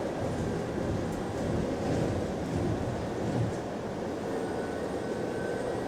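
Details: Recorded on a GAL EBD67 bus on route SL4 after the creaking suspension was fixed: steady road and driveline rumble with no creaks or groans over bumps. The suspension is quiet and sound.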